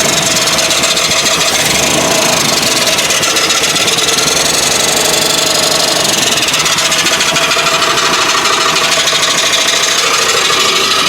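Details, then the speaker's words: 1955 Nash Custom Rambler at slow idle: loud, rapid metallic scraping in time with engine rotation; the second belt pulley looks bright and is suspected to be rubbing on the cross brace or something stuck there. "That noise is just something rubbing. I gotta figure out what it is though. That's not supposed to be that way either, I don't think."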